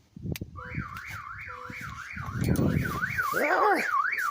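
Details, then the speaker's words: Abandoned, far-gone Hemi Charger Daytona R/T right after a new battery is connected: a loud siren sweeps up and down about 2.5 times a second over rustling. The factory security alarm has been triggered. "question of the day is are you what was causing all that noise I I want to know where that security system is that it's going to get old quick"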